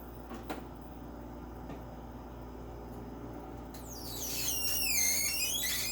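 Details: Personal Chiller Nugget ice maker, one day after purchase, while making ice: steady hum then a loud high wavering squeal rising and falling for a couple of seconds; cause unknown.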